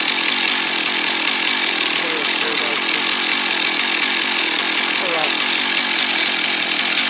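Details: Husqvarna 1100 chainsaw, previously stalling when throttled (air leak suspected), high raspy two-stroke snarl holding steady while cutting after being sorted, no bogging or surging; pulls cleanly under load.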